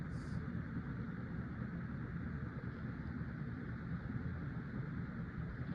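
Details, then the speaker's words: 50" Casablanca Delta II ceiling fan, Emerson K55 motor, dated 1996, after bearing replacement, two blades: steady low whoosh, no ticking or grinding; wobbles more, less airflow than four or five blades, more air noise. "It seems to wobble more with two blades, doesn't blow as much air as it did with four blades or even five blades, and it makes more air"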